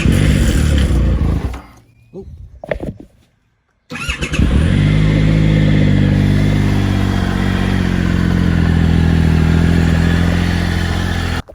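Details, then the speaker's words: Norden 901 motorcycle, cold start: engine fires after a quiet gap, with a brief two-second rattle before a steady idle; normally it lasts 10-15 seconds and fades as it warms. Owner suspects valve clearances or a loose cam chain. "did you hear that initial that initial rattle lasted for about two seconds what usually lasts a little longer than that usually goes on for about 10-15 seconds then it sort of it it disappears as soon as this sort of engine warms up"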